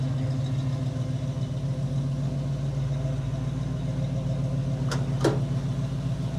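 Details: 1963 Chevrolet pickup V8 after new carburetor, water pump, radiator and hoses: steady, even idle holding too high and not settling lower, brief chirp from a loose new belt near the end; carburetor high idle, cause not yet known.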